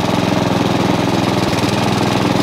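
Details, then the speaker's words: Honda HRX537 hydrostatic mower idling after plug change: steady idle that sags briefly then recovers, revs hunting now and then, getting progressively worse, also when clutch engaged; carburettor clean planned, cause not confirmed. "now it starts to dip revs you'll hear it going again in a minute he says there you go that's what it's doing every now and again a little tiny"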